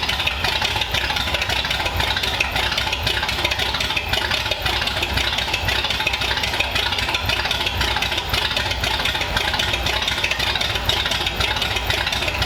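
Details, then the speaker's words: 1932 Ford Roadster engine's run in the car, with newly plumbed fuel system and modified headers: fast, even idle with busy top-end clatter, no misses or knocks; a fuel fitting was leaking. "all right we got fuel it runs it idled right away"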